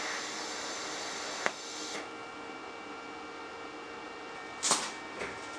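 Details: HitBox 200A dual-voltage 110/220 TIG/stick welder set at 70 amps, sharp tungsten: steady, even hiss, no sputter or popping, only a couple of faint clicks; normal, stable, consistent TIG arc.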